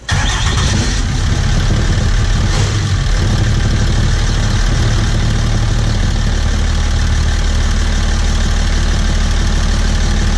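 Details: Welding rig diesel after replacing injectors, first crank after the work: catches quickly and settles into a steady, even idle with no misses or knocks; sounds healthy and running smooth.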